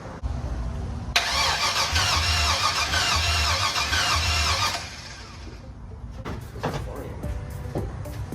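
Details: LS-swapped Chevrolet Box Chevy, 5.3L LS with eBay standalone harness, new fuel pump fitted and fuel pressure now present, gas smell: starter turns engine over evenly for several seconds but it never fires; owner notes plugs weren't changed; cranks, no start.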